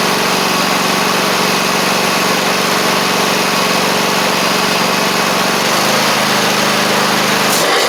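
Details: Two-year-old Troy-Bilt zero-turn with Kohler 24 hp 7000 series twin; poor fuel delivery from water in fuel and a badly fitted replacement carburetor; after repair, steady even drone pulling away, no misses or knocks, running normally under load.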